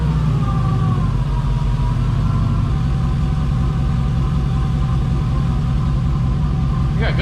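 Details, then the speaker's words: 1988 Firebird with a swapped 5.3 LS V8 at idle with solid oil pressure, starting to warm: steady, even rumble. The earlier lifter tapping is gone, and the owner believes the lifter pumped up. "see now I don't hear that clicking noise anymore that tapping [Music] noise"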